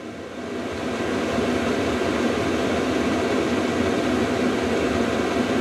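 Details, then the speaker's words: VEVOR diesel heater turned up from about 40 degrees to level 10 of 10; pump and fan speed rise, smooth fan roar then steady even hiss and whir, quite noisy, temperature ramping up: normal running at high output. "Okay, you can hear the pump increase and the fan increase. Okay, and temperature starts ramping up. It's quite noisy."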